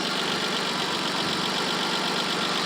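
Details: 1986 BMW E28 528e six-cylinder, warm, day after repairs plus Lucas oil stabilizer, smoking stopped, not overheating: steady idle hum with no misses, knocks or surging; engine settled and healthy.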